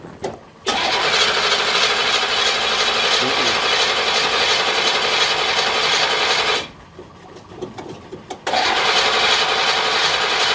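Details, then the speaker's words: 1963 Chevrolet Impala V8 with some gas in the tank: starter churns at four beats a second, pauses, cranks again without catching; owner suspects it got cut off from fuel, unconfirmed. "but it's still it being started like that and dying out right to me it's like it got cut off of fuel"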